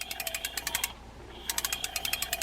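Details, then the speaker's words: Mitchell spinning reel from a flea market, hand-cranked: rapid gritty clicking grind, about nine rasps a second, not smooth; suspected dried or missing grease, to be fixed by servicing, not yet opened. "not as smooth as it should be and when we open this up I'm sure what we're going to find is just a lot of dried or non-existent grease that can all be fixed"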